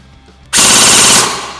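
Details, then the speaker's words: Upgraded Beta Project Tactical AK airsoft gun with Modify internals on an 11.1 V battery, after 7.4 V test: short fast crisp full-auto burst, even rapid cycling buzz, clean stop; normal full-auto firing. "Now we're going to put the 11.1 in and see how that sounds. Okay, here we go, 11.1."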